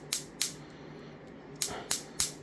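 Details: Replicated cap-dump circuit (homemade 10 µF 400 V capacitor bank, high-voltage module) discharging into a battery, drawing about 1.3–1.4 W: sharp snapping clicks in two bursts, a few per second; normal discharge pulsing, though owner struggles with slow charging.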